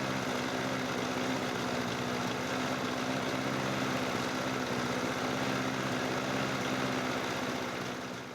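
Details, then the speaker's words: Lawn mower after cleaning parts (fuel, air filter, spark plug, carburetor checks) and opening the shutoff valve, started by power button and pull cord: single-cylinder engine runs with steady even beat about four per second, smooth, no misfires. "Now let us see if the engine will start again. First I'm going to push the power button and I pull the cord. As we can see it starts right back up"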